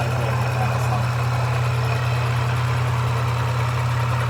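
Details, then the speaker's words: Toyota 3.4L V6 with a newly installed supercharger, cold start, about 8 minutes into idle: faint light tick two or three a second, apparently from the back of the engine; vanishes on revving. Supercharger rattle, PCV valve, lifters or a vacuum leak suspected, unconfirmed. "Usually the sound comes in after 2 to 3 minutes after startup. So we suspect it's a rattle from the supercharger, maybe a PCV valve or lift valves from the engine."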